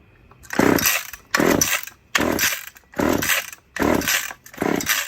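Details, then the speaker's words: Old chainsaw with the choke on; about one cord pull per second, rough cranking bursts that never catch. Owners suspect old gas in the carb. Hard starting. "It's probably just got a lot of old gas in the carb. Yeah, it could. God knows how old it is, but that's what Jason Turned did on. with this one yesterday. Just pulled it enough times and fired up."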